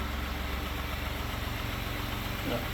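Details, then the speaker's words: 2018 Ford F-150 EcoBoost with low coolant and overheating at idle: a faint, quick light tick creeps back in as the engine warms, blamed on badly broken-down oil about 10,000 miles overdue for a change; louder before. "you hear a little bit of ticking kicking back in as it's heating up but that's cuz the oil is so broken down in this like"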